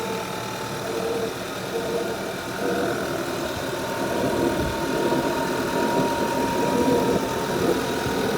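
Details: 2011 Audi A5 2.0 TFSI at cold first start-up idle only: steady hollow rushing hiss like a vacuum cleaner over the engine note; gone when warm and driving hard at 140 km/h; air leak source unknown.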